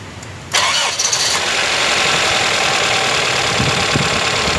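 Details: Toyota Corolla 16-valve engine (5A) just after overhaul, first start with fresh oil and coolant: starter catches instantly at half a second, then steady even idle with no knocks or misses. Normal start and idle.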